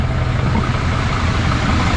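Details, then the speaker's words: 2006 Mercedes Sprinter T1N diesel idling just after first start with a newly installed cylinder head: deep even idle, steady low throb, no knocks or misfires; sounds pretty nice already, normal idle. "come on baby you know you wanna there she goes it sounds pretty nice already"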